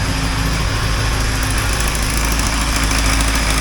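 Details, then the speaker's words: 1980 Triumph TR7 with the engine just reassembled and first running: loud, slightly uneven idle with a sharp puffing chuff at about three beats a second from an exhaust leak on one side, to be resealed later. "you can hear an exhaust leak on this side here I have to follow up and out of it I think it's an exhaust see how see how we can do about that but I won't worry about that right away until I later anyway"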